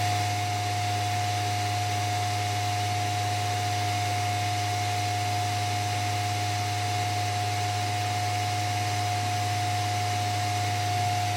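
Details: Lambda Omega MML 400 400 W switch mode DC power supply running during repair with output adjusted to a stable 12 V: even fan rush with steady mid-pitched tone and low hum; running normally.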